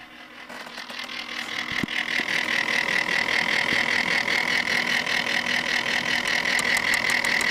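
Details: Corsair H80 liquid cooler pump failing 2 hours after install: intermittent harsh grinding rattle settling into a raspy, shrill whir pulsing about three times a second.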